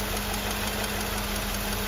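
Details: Mercedes W126/W124/W201 after replacing the AMF flap potentiometer and setting it to about 0.7 V, reading steady: a short stretch of steady, even idle hum with no hunting or surging; idle is settled and normal.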